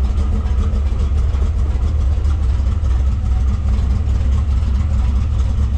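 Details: Factory Five '33 Hot Rod, 351 Windsor stroked to 408 CI, 512 hp, dual Edelbrock 500 CFM carbs, revved after warm-up: deep steady V8 rumble at raised revs, even beat, no knocks or rattles; healthy revving.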